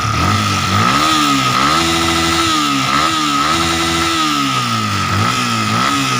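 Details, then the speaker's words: Yamaha Vixion engine, rebored with new piston rings and new valve adjusters, valves tightened, camshaft parts checked OK: rough gravelly rattle over the engine as revs rise and fall, persisting after valve adjustment; worn piston rings. "Setelan klep udah saya rapetin, tapi kenyataannya suaranya tetap ngecer."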